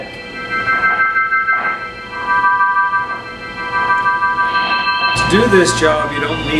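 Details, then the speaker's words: Hammond Model H (H series) organ: sustained chord with crackly, scratchy static on top; noise caused by dirty drawbar contacts, to be fixed by disassembling and cleaning the contacts. "fixing the noise that's made by dirty drawbar contacts."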